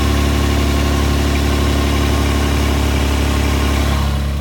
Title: LX450 Exhaust leak